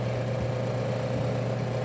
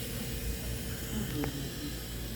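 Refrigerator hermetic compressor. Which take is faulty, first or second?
second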